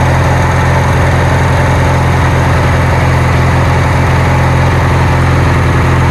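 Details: Kohler Magnum 20 engine on a Wizard garden tractor after repairs, just started after priming and choke: strong, even low chug at about 160 beats a minute with no misses or knocks; healthy idle.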